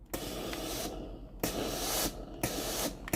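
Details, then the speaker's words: Philips GC9315 steam iron after replacing the steam valve coil for no steam output: each button press gives a valve click and sharp steam hiss, four or five even bursts; steam valve working properly. "นี้ไอน้ำออกแล้วนะครับถ้าเรากดปุ่มจ่ายไอน้ำนะครับเราจะได้ยินเสียงวาน้ำทำงานนะครับคือดังแต๊กแต๊ก๊กนะครับตามจังหวะนิ้วมือที่เรากดนะครับ"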